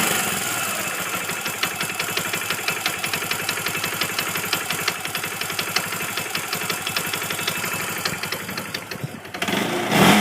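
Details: Kawasaki motorcycle revving: sharp, regular metallic tapping, about four knocks a second, over the exhaust; owner suspects the clutch shifting on the crankshaft, may be worsening, source unconfirmed.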